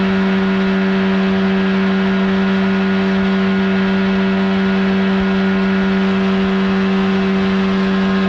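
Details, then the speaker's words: 1979 Evinrude 35hp outboard (also called the old Johnson 35) on the water after adjustments; it earlier failed to reach wide open throttle. Insulation recently added. Now a steady, even drone at one pitch, no misses or surging; running clean at speed. "oh she's running just fine now"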